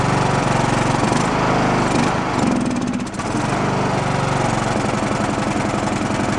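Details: Abandoned Poulan Pro riding mower single-cylinder, valves roughly adjusted, suspected blown head gasket, on choke: chugs unevenly, sagging and stumbling before picking up; messy carb with no idle circuit, runs only on choke, no bottom-end knock.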